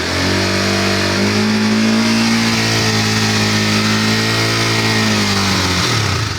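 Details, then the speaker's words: Motorcycle held at 6,000–7,000 rpm after fixing exhaust heat shield rattle by refastening its two bolts with a rubber band packed inside; smooth steady drone, now quiet with no metallic rattle from the pipe cover. "หลังจากยึดน็อตแน่นเสร็จแล้วเรียบร้เนาะเราก็มาสตาร์ทกันฟังดูอ่าเงียบไปแล้วดูรอบเครื่องยนต์นะครับ6,0007,000"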